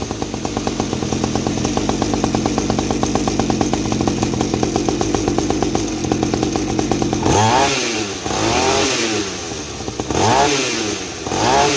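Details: Mini 50 cc two-stroke trail bike after the exhaust silencer was modified with extra holes and glass wool, about 50% quieter: steady buzzing idle then clean quick throttle blips; normal idle and revving.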